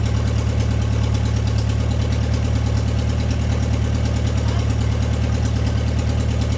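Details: MG running after 22 years off the road, started without choke; idles steadily and evenly with low regular exhaust pulse, no misses or stumbles; normal idle.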